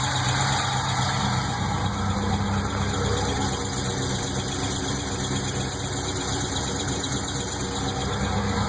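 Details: Pontiac GTO LS1 V8 at steady idle: light fast chirping from the top end, loudest directly on top of the intake manifold; source not pinned down.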